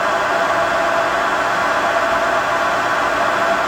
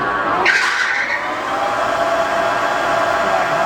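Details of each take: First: 33" x 120" Clausing Boravia engine lathe, test run after minor cross-slide rapid traverse repair and cleaning, spindle at high speed (about 900 RPM). Smooth, constant whir with no knocking, grinding or rising whine; the headstock sounds good. Normal running at high speed. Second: 33" x 120" Clausing Boravia engine lathe, test run after minor cross-slide rapid traverse repair and cleaning. A short high squeal as the spindle takes off, fading into a steady run; the belts slip briefly under the heavy starting torque. Belt squeal.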